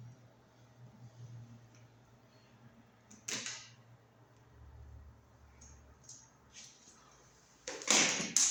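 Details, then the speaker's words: Wall light switch about 10 years old, judged broken: sharp toggle snap with a faint extra click trailing it, doesn't sound right; abnormal switch click, to be replaced with a quiet new switch. "now this switch is broken see it doesn't sound right here the here this extra little"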